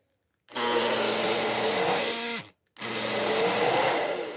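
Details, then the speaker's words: Hair dryer heating normally but running in two short bursts with a loud, rough, buzzing whine; the motor seems to be dragging on something, perhaps the fan or some dirt. "O que pode ser? Me parece que o motor dele está travando em alguma coisa, em algum lugar. A ventoinha, alguma sujeira, alguma coisa aí."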